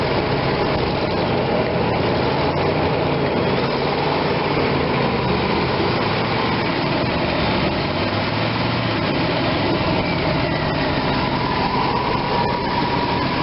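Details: RV V8 after new spark plugs and shorter plug wires, with cylinder 8 boot now seated so it no longer arcs on the air cleaner: steady, even rumble through a light throttle blip, no clicking or stumbling; healthy.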